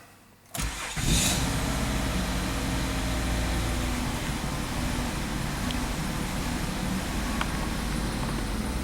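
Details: 2005 Mazda 6 3.0L V6, codes cleared, five gallons of fuel added to dilute alcohol left in the tank: quick crank, immediate catch and smooth even idle without stumbling; normal start.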